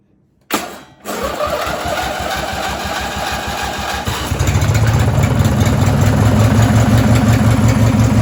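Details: Race mower engine cranks, catches and settles to steady idle with a regular low knock about three per second under the exhaust beat; owner suspects rod knock and fears it may blow up, cause unconfirmed.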